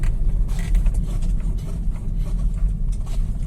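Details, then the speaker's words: BMW X1 after front suspension repair, test drive: steady low road rumble while braking lightly, with no clunk from the front end. The earlier clunk on braking from wheel play is gone. "o barulho do meu pé, né? Apertando o pedal, mas não tem mais tranco, tá?"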